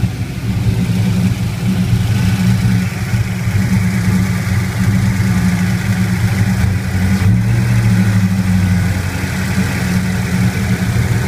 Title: LS1 idle issues, help!